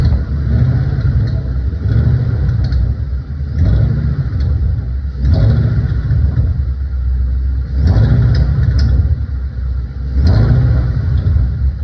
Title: My 2012 Shelby GT500 is making this rattling/ticking noise while revving up to 1,200 rpm PLEASE HELP